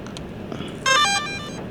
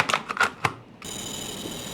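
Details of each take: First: DJI Air 2S drone powered on after repair of its gimbal and broken front motor arm: a short rising chime of clean power-up tones, with no grinding or stutter from the gimbal motors and no error. Normal startup. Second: DJI Air 2S drone at power-up, previously disassembled: a few clicks then a thin steady high buzz instead of a gimbal sweep; pitch motor not responding, error only says gimbal stuck.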